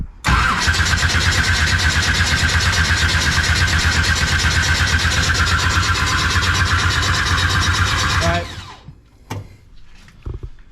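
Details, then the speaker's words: Pro street 1969 Camaro, 540ci Chevy big block, old fuel being flushed: fast, light, even cranking for about eight seconds with little resistance per stroke; dynamic compression very low, possibly from cam overlap. "yeah it's like the compression of a model a model t let me do this it's gonna be hard to get too i was looking down there because that dynamic compression is really low"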